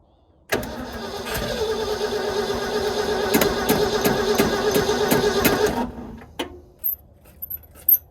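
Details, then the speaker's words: 1960s Ford F-750 dump truck, non-running, fuel poured straight into the carburetor: cranks evenly for about five seconds and catches a few beats but never picks up and dies; it seems to need much more fuel, a sign of fuel starvation. "That sounds promising. It sounds like it needs a lot of fuel. Probably like the gas can method."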